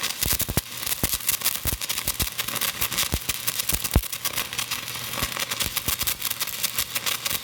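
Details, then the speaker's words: Hitbox TIG 200 stick welding a 7018 rod at about 190 amps on a shared household circuit (200 amps trips the breaker): dense steady crackle and sharp pops with no gaps, a stable arc; normal stick welding arc. "that's running at about 190 I could have probably put it up a little more to start easier"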